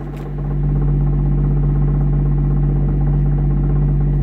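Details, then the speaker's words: Infiniti 4-cylinder with its rusted-off muffler, odometer reading 82,000 miles (owner says it's inaccurate), no coolant and a failing alternator: deep, steady, loud idle with low drone and even pulsing; smooth running, loud only from the missing muffler. "This engine is loud. The exhaust is loud. The muffler rusted off on it, so it's honestly one of my favorite sounding 4 cylinders I've ever heard."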